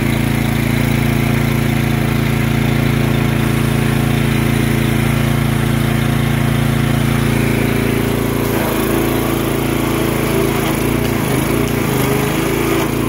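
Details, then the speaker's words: Gasoline pressure washer, long unused, filter off, started on starter fluid: about 4,000 PSI until trigger pulled, then steady drone roughens and wavers with a rattle as pressure drops. Pump cavitation from insufficient inlet water supply. "when I pulled the trigger it began to uh pressure dropped tremendously and it was rattling that rattling is called cavitation so what happens is your pump is not getting enough water"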